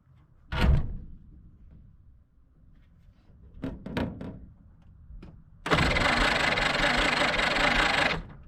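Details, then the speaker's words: 1946 Willys CJ-2A Jeep after sitting for years, starter installed: after clunks the starter spins the engine evenly for about two and a half seconds, never catches; cranks quickly, seems to have compression, spark doubted. "no it cranks all right Dad"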